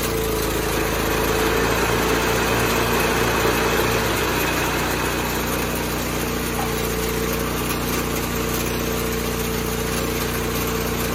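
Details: 1986 John Deere 216 small-engine tractor after carb cleaning and PTO adjustment, leak fixed, driving the driveway: steady, even drone at constant speed with no surging, hunting or misfire. Normal running.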